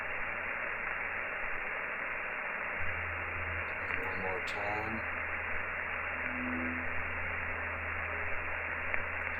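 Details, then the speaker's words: Steady receiver hiss with low hum and brief warbling tones just below the 80-meter band during a home RFI hunt by switching off circuit breakers one at a time; interference source unknown. "see some interesting stuff something going crazy some noise or something going on there"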